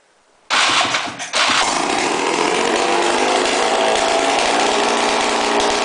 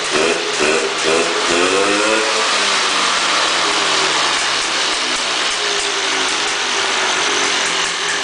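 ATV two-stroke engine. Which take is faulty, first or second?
first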